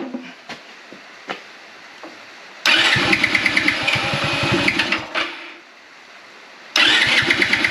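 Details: Motorbike "Vera" with a dead battery, started with boost from a Topdon Jump Surge JS2000 jump starter: two bursts of quick cranking pulses, about three a second, that catch and rev. The bike fires up normally.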